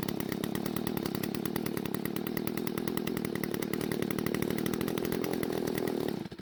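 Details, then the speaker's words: Stihl two-stroke string trimmer from a garage sale, won't rev; idle screw turned clockwise to raise speed, it buzzes at a steady fast idle about six seconds then abruptly dies, pointing to a lean low-speed (L screw) carburetor mixture. "Now, before making the adjustments to the L screw, I wanted to turn the idle screw clockwise a bit to raise the engine speed. The engine died, but I'm still going to turn the L screw counterclockwise till it hits the stop."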